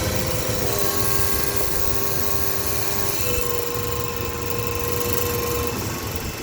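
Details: 2007 Dodge Ram 1500 5.7 Hemi, 140,000 km, remote-started at idle: loud steady mid-pitched whine from the transmission over the V8, stepping slightly in pitch, audible blocks away; no leaks or rubbing found, cause unknown.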